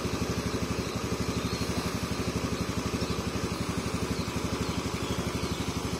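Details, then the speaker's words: Motorcycle after piston replacement, idling in heavy rain: steady even single-cylinder thumping about four beats a second, no tek-tek ticking that would suggest connecting-rod trouble; smooth healthy idle. "Untuk suara mesinnya halus ya, tidak ada suara tek-tek-tek yang dikhawatirkan"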